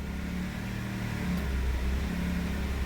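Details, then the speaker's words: Honda N-WGN just after throttle reset and hard first start: low, uneven idle wavering in pitch and level, not yet settled; needs about 15 minutes of warm-up for idle relearn, which should clear the misfiring. "Сейчас ждем 15 минут, пока она прогреется. И здесь будет обучение пройдено холостого хода. Уйдут троения и много чего еще."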